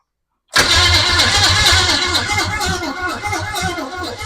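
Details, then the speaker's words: 1929 Ford Model A truck with a replacement engine after the original locked up: steady rhythmic cranking, about four pulses a second, that never fires; no start because the test light shows no power reaching the ignition coil. "turn the switch on got nothing on the nothing on the coil let me try the other one yeah it still nothing still nothing"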